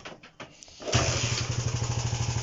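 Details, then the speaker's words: Honda CB125 RS under restoration, after fixing fuel starvation from a low gravity-feed bottle: starts on the first kick and settles into an even single-cylinder beat about eight pulses a second; plug very black, no air filter fitted. "now it's running again after the first kick so we're not looking too bad"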